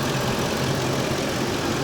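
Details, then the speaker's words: Van V8 with prior crank-no-start, cold start next day without checking relays, fuse or inertia switch, left idling a few minutes: even steady idle, no knocks, misses or ticks; running okay — normal idle. "seems to be running okay just gonna let it idle for a few minutes"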